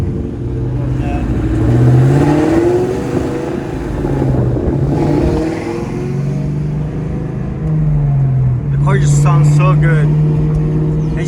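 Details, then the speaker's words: 2004 Mustang GT, after replacing front steering and suspension parts including bad shocks and an alignment: driving while turning the wheels, engine hum with no clunks or knocks from the front end. "hi guys so he's driving the car and I'm turning the wheels and there is no clunking noise"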